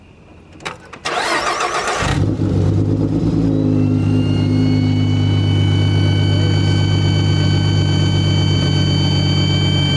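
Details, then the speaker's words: V6 Mustang with supercharger kit, just reassembled: engine fires and settles, then thin high whistling tones ride over the idle, a supercharger-type whine that shouldn't be there; belt tension suspected. "we put the whole car back together and then we started and had a terrible noise that sounded like a airplane slash like pro charger had a baby and just it didn't sound righ"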